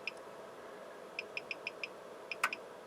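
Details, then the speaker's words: Sharp, light, uneven relay clicks inside an audio distortion analyzer fed a signal from a Heathkit IG-18 generator, as it recalibrates its internal ultra-low-distortion oscillator after a frequency switch; normal. "If I switch frequencies, you can hear the device inside calibrating and reconfiguring to set up that internal oscillator."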